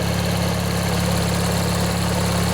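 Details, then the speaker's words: Vintage 16 hp Briggs & Stratton flathead opposed-twin on a Montgomery Ward (MTD) riding mower, first run in one to two years after replacing a worn-out starter motor, some smoke and water from the muffler: steady, even low thrum with no misses or knocks; smooth, healthy idle. "let this run a bit let you guys listen if you want yeah it runs real nice"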